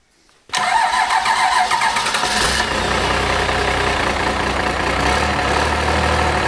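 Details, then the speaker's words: Cummins diesel junkyard engine after first run, injectors had been stuck from sitting, timing plug missing and oil leak: short crank, catches at once, steady even diesel clatter at idle; starts right up, running on all six. "sounded pretty good it was running on all six yeah fired smoke cleaned up after about a nanc"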